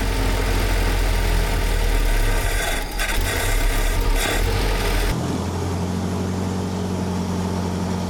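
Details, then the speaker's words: 1948 Willys CJ-2A cold start after replacing an undersized, slipping 9/16in belt (charging stuck near 12 V) with a true 5/8in D&D BX40 belt: catches and settles into a steady, even low idle with no squeal or slip; 14 V afterward. "Được rồi. Xong rồi. Khởi động nguội nào."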